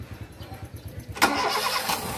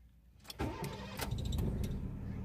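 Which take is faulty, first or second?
first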